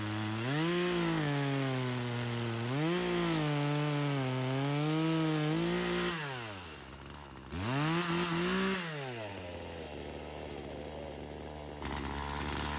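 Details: Old Craftsman chainsaw that sat for years, cutting wood; revs sag each time chain bites, recovering as it eases; bogging under load, owner notes engagement trouble, needed more fuel, ring seems a little stuck.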